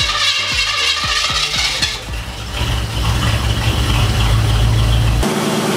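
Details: FiTech fuel-injected engine with MSD Pro Billet locked-out distributor and phased rotor, started after driving on varying timing settings, spark advance settling from 25 to 17; cranks, catches, loud slightly uneven wavering idle, rough running expected from timing settings.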